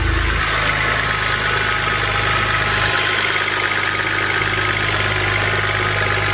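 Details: BMW 130i, N52 engine, 15 years old, first start after replacing the valve cover and Valvetronic motor gaskets; smooth, even idle with steady low hum, no knocks, ticks or misfires. A little smoke from oil drips on the exhaust afterwards. Normal idle.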